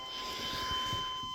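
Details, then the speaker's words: 1994 Chevy 1500 with a throttle-body 350 V8, key on after replacing the fuel pump and refitting the tank; thin steady high whine with no stutter as the new electric fuel pump primes the system normally. "oh it's homing you can definitely hear it yeah the prime that thing up"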